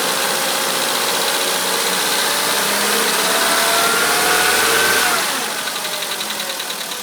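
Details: 2013 VW Polo Sedan, idle: light, regular ticking knock at about four per second keeping pace with idle speed, most noticeable when cold; owner suspects an engine knock, not confirmed.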